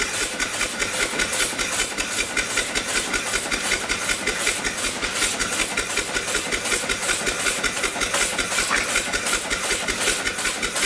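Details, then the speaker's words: Upright steam engine after the off-time eccentric was retimed, running below 20 psi on a weak fire, with O-rings too narrow to seal. Even chuffing about two and a half beats a second with steady hiss: turning over smoothly, normal running. "it's not going terrible I've only got a well we're down below 20 pounds I didn't have much of a fire"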